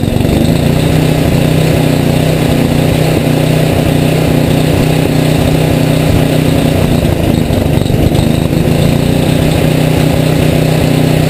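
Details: Rebuilt Tecumseh HM80 on a Craftsman 826 tracked snow thrower, first start with fresh gas and oil, electric start, choke and primer; loud steady even buzz at high fast throttle, no misses or surging, running cleanly.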